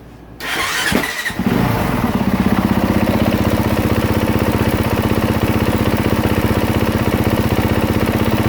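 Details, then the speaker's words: 2023 Honda CRF450R that would not start with a suspected dead battery, running on a borrowed lithium battery reading 13.8 V: quick start, then a crisp, steady single-cylinder idle; the charging system is good, with voltage rising while running. "system is good the voltage was going up as she's running"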